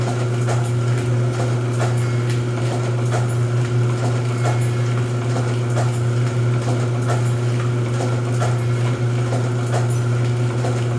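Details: Rosback 250C (318) 3-knife trimmer with CueFeed feeder, new DC controller fitted, delivery not running so books caught by hand: steady motor hum with regular sharp clacks as knives cycle each book, unlabored; normal running cycle.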